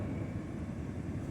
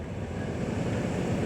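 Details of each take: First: 2010 Honda Odyssey, code 1241: with engine running and climate control switched off, a steady low fan rush keeps going; blower motor stays on unless ignition is off. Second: 2010 Honda Odyssey (code 1241, blower formerly stuck on), after repair: smooth steady blower rush through all fan speeds, fading away when switched off with the climate control; blower now operates normally after circuit, relay and fuse checks led to the faulty part.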